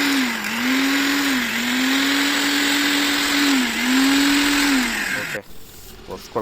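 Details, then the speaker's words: Preethi Blue Leaf mixer grinder after replacing worn ball bearings and bush and reassembling with screws tightened. Steady mid-pitched hum with gentle dips and no rattle or grind; it sounds like a new mixer. "ಮೊದಲಿನ ಥರ ಹೊಸ mixie ತೊಗೊಂಡೋಗಿ ಏನಿತ್ತೋ noise ಅದೇ ಥರ ಇದೆ."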